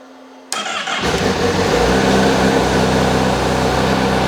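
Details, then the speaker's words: Honda Fireblade after refitting exhaust valve servo back to stock, undoing servo delete mod: starter catches, engine settles quickly into smooth, even idle with clean, moderate exhaust note, much quieter than before; normal idle. "So that's a lot more manageable now, sound-wise. And do you know what? I should have rode the bike for a little bit longer. Yeah. That sounds really, really clean."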